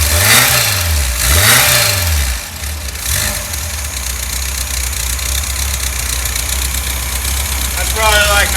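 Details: Freshly rebuilt 1600 VW engine with header, choke working, first start-up: a couple of quick blips then a steady, even idle with no knocks or misses; sounds healthy.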